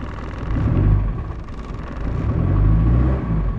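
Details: Land Rover Discovery 1 diesel just after alternator replacement, glow plug and battery lights out, charging at 14.5 volts: low steady rumble at idle with no knocks, squeals or misses; normal idle.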